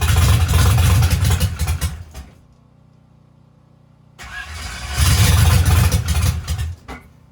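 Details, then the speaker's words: Turbo engine after teardown, first start on brake cleaner, oil pressure sensor unplugged: catches and runs about two seconds unevenly, dies, refires and stumbles again; rough running on first start. "Fire up, but it did not seem real happy. Let's try again."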